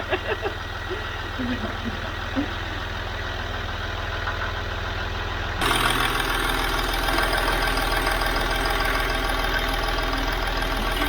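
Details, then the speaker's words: Land Rover Discovery 3 / LR3 2.7L TDV6 Lion diesel, first start after a complete engine rebuild, with good oil pressure: even idle with a steady low beat and no knocking, smoothing slightly after a few seconds like a new machine; normal idle. "oh my god i don't know how this thing sounds yeah it sounds like a new machine look at this oh my gosh listen how this engine sounds it sounds like a friend this is great work"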